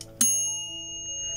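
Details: New multi-cooker pot being tested with a multimeter: a single bright ding as the mechanical timer switch turns off, ringing clean and fading slowly; timer bell and switch work, pot basically intact.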